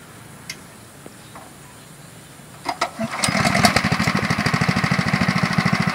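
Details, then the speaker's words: Mini paddy-field tractor ("traktor capung") with a Honda engine, just refuelled, started before ploughing: near silence, then the engine catches at about three seconds and settles into an even, steady beat. Starts readily and runs smoothly. "Iya, mesinnya tokcer ya, kedengarannya adem. Memang seperti ini ya, keunggulan daripada mesin Honda. Mesinnya adem dan sudah mulai berjalan."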